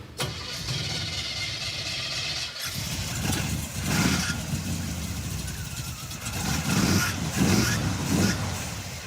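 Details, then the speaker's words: 1957 Chevy Bel Air junkyard car, small-block V8: runs ragged with uneven spitting, popping and stumbling bursts as throttle opens after coil swap; not fuel, ignition misfire suspected, HEI distributor module to be replaced next. "okay it's definitely not fuel let's put a module in it"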